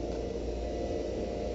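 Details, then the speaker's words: Storm station pump 2 run in hand (manual) mode after replacing a failed Allen Bradley magnetic contactor: steady, even low hum with no knocking, rattling or surging; pumping normally under load as the float drops. "So put it on hand. Plunger is in. We are pumping. I can hear it, and we're watching the float stick go down"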